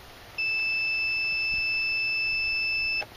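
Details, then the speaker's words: Mazda 626 fuel pump relay tested with a multimeter continuity beeper for a crank no-start: one steady high beep about two and a half seconds across the switched pins; relay is good. "good that's a good fuel pump relay"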